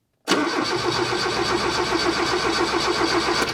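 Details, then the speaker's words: 1978 Lada Niva, parked two years in a hedge, first start attempt on weak battery: starter churns the engine over at a steady quick beat with no firing; spark tester shows no spark, points suspected. "Nope, there's absolutely no spark."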